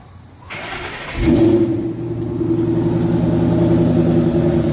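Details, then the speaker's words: 2011 Mustang GT V8 with newly installed eBay long-tube headers and BBK modified X-pipe: starter whirr, loud bark on catch, then a deep steady rumble; sounds much better, healthy. "Oh! Alright! That sounds much better. Now that was that sounded good. Yeah, that sounded pretty good."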